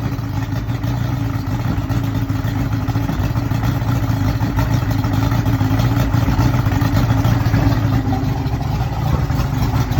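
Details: Yamaha OX66 150 HP outboard (2001), 70 hours on a remanufactured powerhead, running on a hose: lumpy idle sagging to 400-500 rpm off fast idle, near stalling; steady 36 psi fuel rail pressure; traced to a misadjusted oil pump linkage.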